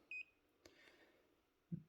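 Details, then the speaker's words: Daikin ducted heat pump unit's remote in heating mode: a short high chirp, then a faint click and soft thump as the set point and fan setting are stepped. This is the normal remote button beep. "Hopefully you can hear that beep. That's changing the set point."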